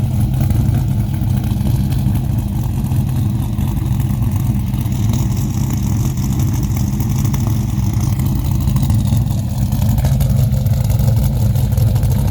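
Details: 2005 Dodge Ram SRT-10 Viper truck, 61k miles, new top end with cam, springs, ceramic-coated headers, K&N cold air intake, 6-speed manual: deep, loud, even idle with a choppy cam lope and no ticks; normal idle.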